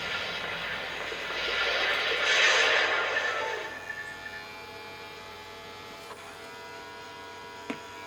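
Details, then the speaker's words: Original Xbox console, previously opened, at power-up with flashing light: harsh grinding whir swells about two seconds, drive changing directions, then faint hum; disc drive noise, owner suspects busted drive belt. "that's the disk drive making all that noise see how it's flashing it's trying to trying to do something with the drive mm-hmm yeah this one i think has a has a busted belt and a drive"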